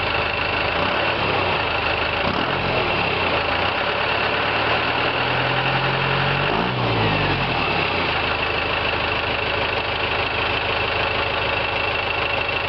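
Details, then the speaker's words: 1990 Chevrolet K5 Blazer with swapped 4-cylinder turbocharged Cummins 4BT diesel, mild climate: brief cranking then catches quickly and settles into steady, even idle clatter, no misses or knocks; healthy. "Let's start it up. This thing always starts really quick. Of course, I don't live in a very cold climate, but I've always been really impressed. It usually turns over once or twice before it starts to fire."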